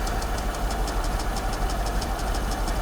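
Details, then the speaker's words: Mercedes S55 AMG from a salvage auction, after an oil change, the day after its first drive: sharp, regular ticking about two a second over a smooth idle, localized on top of the engine; cause not found. "i don't like the way this is sounding really don't like the way this is sounding can you hear it's coming from right here"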